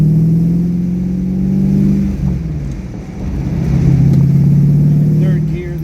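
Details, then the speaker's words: 2004 Modena Classic Design Ferrari 250 GT California Spyder replica, manual, driving up through second to fifth and downshifting: clean pull, smooth drops at each shift, no popping on deceleration or gear grinding; healthy with plenty of power. "So, we get some pickup. No popping on deceleration, no gear grinding, and tons of power."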